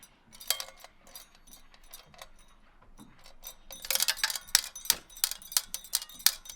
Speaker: So I'm not sure if you guys heard that, but if I flip it upside down and kind of track it so it falls into place, we can see right here, we have a screw.